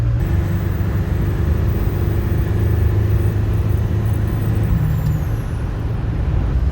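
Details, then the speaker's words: Powerstroke diesel running on a used turbo of unknown condition pulled from spares, with the compressor wheel swapped in: deep diesel drone with a faint clean turbo whistle that drops as throttle eases; normal, healthy turbo spool. "oh that's a good sign apparently attic turbos are perfectly fine"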